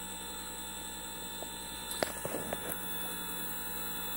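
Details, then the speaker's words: Currie Electro Drive e-bike hub motor rebuilt after 3 of 4 rotor magnets detached, no-load test with the controller in learn mode: quiet steady electric whine at an even pitch, a few light clicks, no grinding; runs normally. "that sounds a lot better than it did before"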